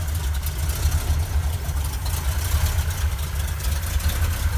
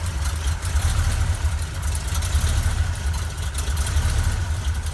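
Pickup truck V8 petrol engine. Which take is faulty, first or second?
first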